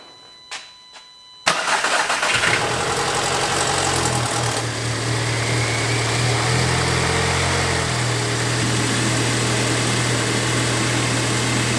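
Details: VW MKV GTI, after repairs for oil leaks and with the high-pressure fuel pump needing to prime, cranks, catches and settles into a steady, even idle with a smooth low hum; running normally.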